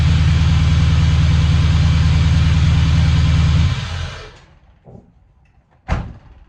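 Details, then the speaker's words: LS1 V8 in Toyota Hilux, first start after garage rebuild with full gasket kit, new head studs, 219/227 cam and fuel system: strong, even idle with deep steady beat, then clean shutdown; normal running V8. "All right, cool. That's started. That's good. I'm really happy."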